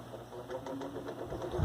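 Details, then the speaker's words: Arno Versátile fan being balanced with a copper-wire clip weight on one blade: low rhythmic thumping grows heavier as the shaking increases. The weight is on the wrong blade, so the imbalance worsens. "Se não é essa paleta que está precisando colocar o peso, vai balançar mais ainda. Está trepidando mais ainda."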